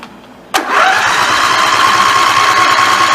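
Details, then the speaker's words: Snapper NXT 25-48 riding mower engine after carburetor replacement, test-run briefly with the cooling cover off: catches on the first crank and settles straight into a steady, even run with no stumble or hunting; normal start and idle. "okay everything seems to run out we will get it the rest away together and see how it runs out"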